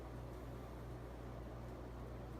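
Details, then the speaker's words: 48-inch Casablanca Four Seasons ceiling fan (K55 reversible, Slumber Quiet variable speed control, non-original blades) at full speed: steady low hum with even airy rush, powerful airflow, no wobble despite somewhat wonky flywheel; normal running. "This thing is ridiculous. It's a hell of an air mover. And it doesn't wobble one bit. Not at all."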